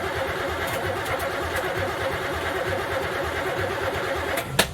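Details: Third-gen street car with carburetor, after EGR block-off plate and third set of plug wires, refuelled, battery dying: slow even cranking about three beats a second, one sharp bang; won't start; carb has no fuel pressure, timing uncertain.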